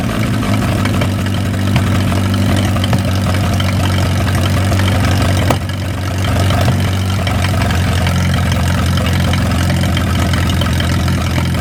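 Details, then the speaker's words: Old flathead 4-cylinder (1937 Willys) generator engine, sat covered outdoors 15–25 years, running after fouled plugs were dealt with; low, steady, even idle with deep thrum, no knocks or misses. Normal running; water pump sticky, crack awaiting welding. "Well, that is just fantastical right there. Y'all watch how quick this thing fires up. I'm just amazed."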